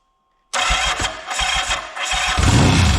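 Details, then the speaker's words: 1979 Yamaha XS750S after rebuild and new timing chain with tensioner reset: engine catches abruptly into uneven lumpy idle; ignition timing over-advanced beyond the F mark because the advance mechanism is seized in a semi-advanced position. "Now what happens is there's a little mark on there with an F and a mark on the casing, and it's just not, it's advanced too much."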